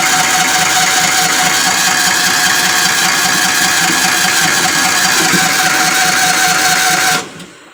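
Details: Kawasaki Mule 550: it stalls once the choke is removed, and on retry the starter churns steadily at about four beats a second without catching. Turns over but won't start; cause suspected, not confirmed.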